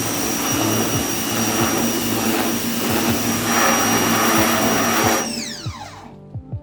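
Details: Ryobi 1600 PSI electric pressure washer: even motor drone under steady spray hiss, pitch falling away as the trigger releases; pump and motor healthy, normal operation.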